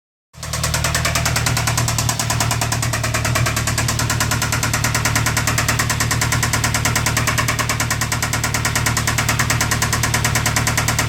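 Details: 2007 Ford Focus 2.0 L petrol engine idling with a steady, deep rod knock about three times a second, developed September 2015.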